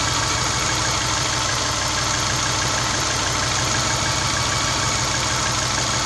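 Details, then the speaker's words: Subaru Baja petrol engine after cleaning and lubricating the idle air control valve, which had caused high, hunting idle around 1,800–2,000 rpm: low, even idle that drops to 750 rpm; normal idle. "right away my rpms drop down 750 the first time has done that in about three months"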